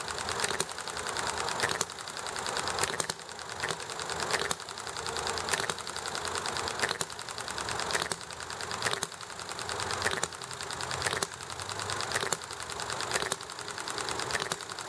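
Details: Enjomor hit-and-miss model engine running with highway, traffic and chatting noise around it: sharp firing burst about every second and a half, then a coast that slowly builds. An even, healthy cycle; it ran very nicely.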